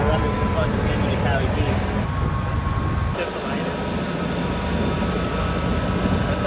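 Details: BMW N52 engine after coolant reservoir ran empty and added coolant vanished, clunk on restart: runs rough and uneven with loose irregular knocking about twice a second over heavy low rumble; internal damage suspected, cause unclear.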